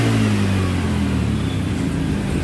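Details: Honda Vario 110 scooter after a replacement original part, started with the battery disconnected on one kick: engine revs up cleanly and settles, pitch rising and falling smoothly with no knocks or rattles; runs normally.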